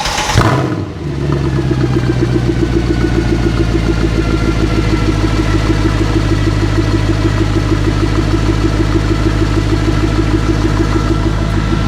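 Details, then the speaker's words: Mercedes C63 AMG V8 with the mic placed down low, not a true cold start as there was some temperature left in it: quick crank, then a steady, even V8 rumble at idle with no knocks. Normal start and idle. "How insanely good does that sound? Such a nice, like, you know, V8 little rumble to it. I love it."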